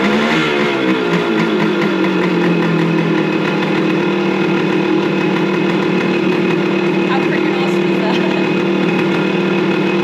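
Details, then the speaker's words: 1974 G4TR100 two-stroke trail bike, long unstarted, just back from an old-bike mechanic: kick-started, crisp even two-stroke buzz holding steady at fast idle with no misses or knocks; runs healthy. "How awesome is that? It actually kicks over."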